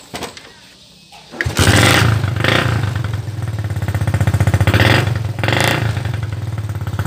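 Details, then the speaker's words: Mocin/Supra motorcycle after replacing the faulty ignition coil (spool) that gave no spark: starts on the first kick and settles into a quick, steady idle putter of about four beats per second. Normal start and idle. "Ya, langsung sekali hengkol langsung hidup. Langsung sekali start langsung hidup."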